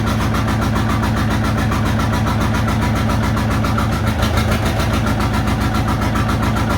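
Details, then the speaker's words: John Deere 830 Industrial two-cylinder diesel, first run in over 20 years after a water pump fix and fuel bleeding, about 20 minutes in: loaded in high gear against the brake with the clutch out, it gives a steady, even chug with both cylinders now firing. "Put it under load to see if it's hitting on 2, and you can tell it is now."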